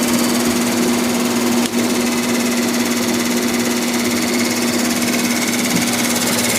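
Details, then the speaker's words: Haier 5000 BTU R410a window AC, probably in its third year, first startup after winter storage, max cool, fan low: a steady hum with a continuous hissy scraping rub. Possibly the motor bearings; it is new since last year and the cause is unconfirmed, needing disassembly. "I don't know what in the world that's rubbing on that could just be the motor bearings I would mean it didn't sound like that when I took it out of the window last year so I have no idea what that is"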